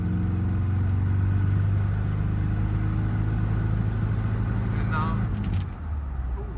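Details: Warmed-up Triumph TR4A on road test at full throttle in 4th: drone stays flat and breaks up, stuttering, barely above 3,000 rpm though 1st and 2nd reached 4,000 rpm; power loss, cause unknown.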